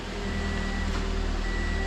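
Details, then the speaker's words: Car just fitted with a remote starter, started remotely after programming tach; low steady idle hum with a faint chirp, no knocks or misses, running normally. "she's running make sure everything works"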